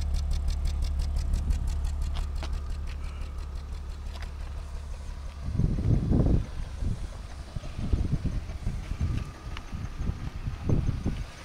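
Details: BMW E36 328i with OBDII code, at idle: deep, uneven idle stumbling in irregular bursts, misfire, hesitates with power loss; suspected low fuel pressure or faulty O2 sensors, unconfirmed.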